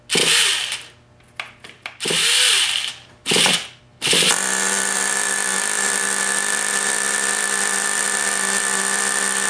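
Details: Rebuilt Traxxas T-Maxx .15 nitro engine, first fire after a missing copper gasket and a loose glow plug were fixed: several short starter bursts, then a high, steady buzzing whine as it runs normally; the starter one-way bearing is still faulty.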